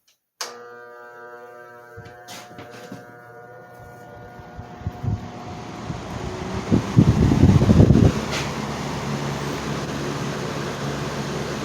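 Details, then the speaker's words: Vintage box fan fitted with the original Westinghouse motor from a restored Wizard box fan, started on both speeds: loud steady electrical hum swelling as it spins up; owner unsure if normal, no slowing, sparks or burning smell. "uh but however the fan makes a loud humming sound on both speeds as it starts up uh but however it doesn't show the typical signs of a motor that you know like of a failing motor"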